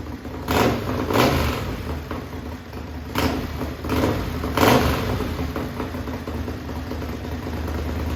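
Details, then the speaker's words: Modified racing lawn mower twin engine running methanol, cold start aided with carburetor cleaner: sharp revving bursts rise and fall over a low steady rumble, no knocks or misses; normal running. "because this thing's going to be really loud we going to go and start it up here real quick"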